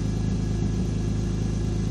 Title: E46 m3 rough idle / misfire?